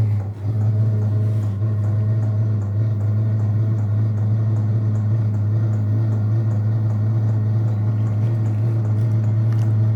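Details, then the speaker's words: Vevor diesel air heater starting up in DC mode on a Noco lithium battery: clicking, then a steady deep hum with a light, regular fuel-pump tick as it warms up. Quieter than expected; normal operation. "So, you can hear it ticking, but it's not loud. I thought that the sound would be really loud, but it's not loud at all."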